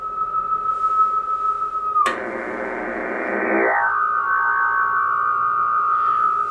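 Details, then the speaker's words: Homebuilt JFET (J310) Hartley oscillator VFO, extremely unstable; tapping its springy coil with a sharpie makes the steady beat tone jump in a noisy burst, then settle at a new pitch and waver, frequency drifting from coil vibration. "I'm gonna go up and I'm gonna just tap the coil of the Hartley oscillator with my sharpie because it's a spring"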